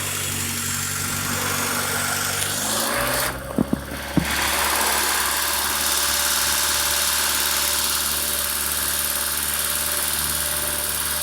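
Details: Honda Civic EU8 (5-door EP2) with a D16V1 engine and a D16Y8 intake conversion: a steady, loud, airy hiss over an even idle, the classic vacuum leak hiss from the intake side.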